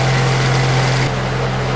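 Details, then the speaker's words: Honda Accord VTEC after timing belt and balancer belt replacement, test start with covers off: steady even idle hum, constant low tone, no shake or vibration; runs smoothly. "and no vibrations so I got those uh balancer belt on right too"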